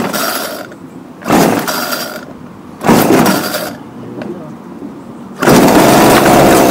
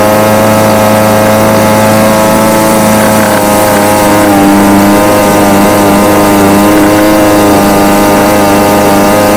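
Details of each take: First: Homelite UT20042A string trimmer, just fitted with a replacement C1U-H60 carburettor: small two-stroke revs in short bursts then sags and nearly dies when throttle drops; won't hold idle, not yet warmed up or adjusted. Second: Homelite UT20042A string trimmer from a scrap lot, previously non-starting, after replacing the carburetor (C1U-H60) and tuning it: steady high-pitched two-stroke buzz holding an even note with slight wander, firing cleanly; normal running.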